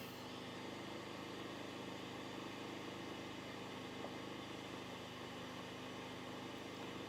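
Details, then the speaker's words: Budget inverter generator (Predator vs Costco Firman comparison) with heater and motor loads running: steady, even drone and low hum with no knocks or surging. Normal running under heavy load; about 69 dB at 30 ft. "So you can hear that change in the generator already. Add the motor in, and we'll test that. It's definitely got a bigger draw on that machine now."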